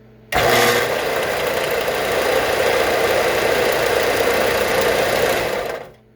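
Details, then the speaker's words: Harbor Freight 4 inch belt sander converted from PSC to capacitor-start with a solid-state start relay. A loud, harsh roar holds for several seconds, with a current surge into the start winding, which stays engaged too long. "that's the relay giving this thing a real surge of current in the start winding"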